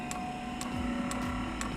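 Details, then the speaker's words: Eberspacher diesel heater fuel dosing pump on a test bench. Steady sharp ticks about twice a second over a low hum as it pumps air. The fuel line is not yet primed, so the heater will not start. "we are now pumping air that's the problem and until this line gets primed the heater will not start"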